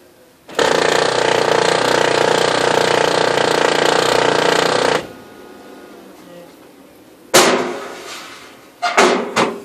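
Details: New replacement Oki Data MB480 printer that displays errors and jams, safeguards off and no obstruction: harsh rough grinding runs steadily for about four seconds during the print cycle then stops, something in the drive rubbing.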